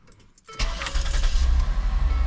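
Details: 2010 Ford Escape after replacing the ignition lock assembly and switch for intermittent no-start on key turn. Key rattle, engine catches within half a second and settles into an even, steady idle; starting is normal.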